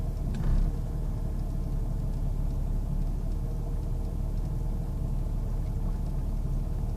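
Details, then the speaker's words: 1998 Jeep Grand Cherokee Laredo at idle: low, uneven idle that wavers and dips on its own as if about to stall; rough idle, cause not found. "Why is this doing this? It's just doing this all on its own. It's like it wants to stall out."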